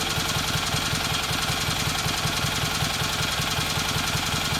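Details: Kohler Magnum M18 twin on a test stand after complete service and mixture tuning, for a Cub Cadet 1882: even steady firing pulses at settled idle, no knocks or misses; normal idle.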